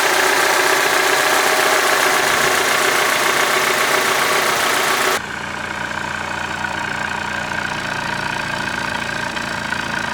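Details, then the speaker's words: Honda Civic D16, after timing belt work to cure a misfire, heard at tailpipe on stock exhaust: steady even idle, no puffs or stumbles; normal idle. "But now this thing is sounding nice. I don't hear any like puffs or any interruptions in the exh"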